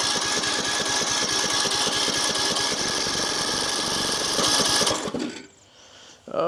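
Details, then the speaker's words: Craftsman LT3000 riding mower, Briggs & Stratton single: steady cranking about four beats a second for five seconds, never catches; carb fuel solenoid not working, no fuel reaching the carburetor. "Here, let's see if my carb solenoid is working. Oh, it's not. Okay, so we're not getting feel to the carb."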